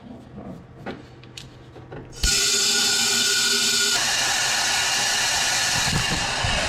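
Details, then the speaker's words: Fully forged KL (KLDE) drift engine, leak-down test on cylinder 4: handling noises then sudden loud steady hiss of air escaping past leaking exhaust valves, after suspected melted piston. "Now this is number 4. Number 4, the exhaust valves are leaking a bit."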